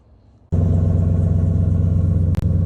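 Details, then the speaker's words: 2003 Chevy Silverado 6.0L V8 started after throttle body/TPS fix and throttle body coolant bypass: catches and settles into steady, even low idle with no knocks or misses; check engine light gone, normal idle. "So I just started it. It's fine. Check engine light went away."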